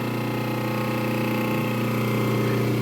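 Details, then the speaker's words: 3D print shop three-phase converter idler motor running after a quick start: an even, steady low electrical hum. It is running normally. "the motor kicks right up just like it's supposed to they say it should start within 2 seconds and it did starts immediately so I can feel her humming and"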